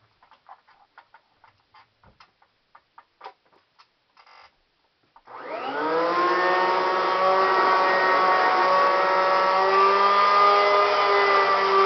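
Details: Kirby Classic 1-CR vacuum, used three times: after clicks the motor spins up to a loud steady whine with rough gritty roar; it grew louder and shakier until the motor bearings wore out.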